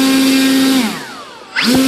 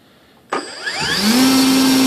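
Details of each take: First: Volantex/Lanyu ASW-28 V2 sailplane on the bench with a replacement ESC, held by hand. Steady motor whine cuts out and the prop coasts down slowly because the ESC has no brake set; braking is needed for a sailplane. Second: Volantex/Lanyu ASW-28 V2 sailplane with a replacement ESC, static bench full-throttle test. Quick spool-up to a steady clean high whine; about 15.48 A, roughly 165 W. Motor and ESC healthy.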